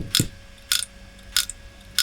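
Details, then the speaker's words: Old hard drive in a flea-market retro PC, set as slave, at power-on: sharp dry clicks about every 0.6 s over a faint hum; the drive is not detected and is judged bad. "it sounds like a poorly hard drive yeah it doesn't detect it okay so it looks like a case we've just got two bad hard drives"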